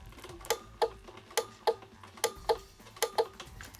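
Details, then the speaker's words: Dead Razor E150 scooter (24V 150W motor, two 12V sealed lead-acid batteries): no charge after hours on the charger; twisting the throttle gives only light paired clicking with no motor hum, so nothing drives. "the throttle you'll hear the little clicking so there's just nothing in"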